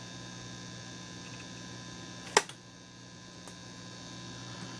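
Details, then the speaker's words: RCA 66X1 radio after capacitor replacement, all parts back in circuit except the mica cap, tested with a 455 signal: only a low, steady mains hum and one click, with no station or test tone; audio section works but the radio section has faults. "I don't think we've got any Radio Action this thing just keeps on giving"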